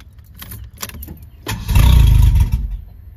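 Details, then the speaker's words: 1987 Ford Thunderbird Turbo Coupe, fuel pump running whenever the key is on, battery disconnected for 15 minutes: a brief crank, a one-second roar, then it dies; starts then stalls, owner suspects it isn't fueling. "see that's what it does hear the pump [Music] what is up sounds like it's not fueling you know tell me"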